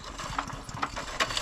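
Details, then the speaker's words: Masport mower bought about 40 years ago, sitting about six years, oil added: quick ratchety pull-start with a few firm, even compression thumps and no scraping; good compression. "it sounds like it's got some good compression to me what always did it always ran well"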